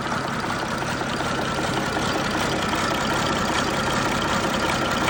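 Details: First start of a rebuilt MMZ-260 diesel in an MTZ-1523 tractor, some small pipes still to fit. Steady, even clatter at constant idle with no knocks, misses or pitch rises; normal running.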